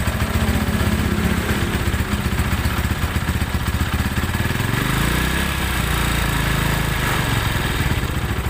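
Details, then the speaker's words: Tiger Evo motorcycle with rough clutch: clutch noise gets worse when clutch is pulled instead of quieter, clicking clatter heard from the cylinder area over a lumpy idle; worn clutch plates suspected before teardown. "Oke ee di sini suara e koplingnya bukannya adem kalau di kopling malah makin kakak gitu kemudian dari area silinder kopnya ini terdengar suara keletak gitu"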